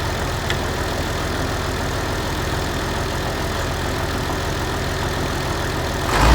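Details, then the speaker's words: Massey Ferguson 1105 tractor with turbo Perkins diesel, abandoned project just started: steady low diesel rumble, even and unchanging with no knocks or misses; smooth healthy idle. "Guys, listen to that little Turbo Perkins just purred like a kitten there. That has got to be one of the smoothest running, I don't know, she just runs good."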